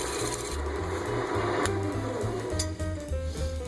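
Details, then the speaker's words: Turning a natural-edge winged bowl from a silver maple log on the lathe: a rasping cut broken by low, uneven thumps about three a second as the gouge strikes a knot (limb inclusion) on each pass. "So every time my gouge makes a pass, you'll hear that knocking sound."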